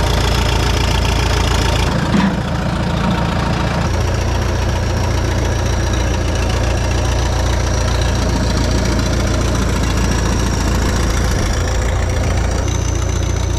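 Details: Bobcat 883 with remanufactured Deutz diesel engine swapped in: catches and settles into steady, even idle with deep rumble, no misses or knocking; fired up and sounds great.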